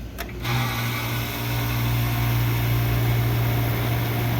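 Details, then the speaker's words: Old, neglected Carrier R22 split-system condenser, compressor previously replaced, running after the contactor was pulled in; thermostat suspected as the fault. Even, steady low hum from compressor and fan with no rattles or knocks; power and temperature difference present. "that sounds pretty good so I got power okay I got power and I got a temp difference so this might work"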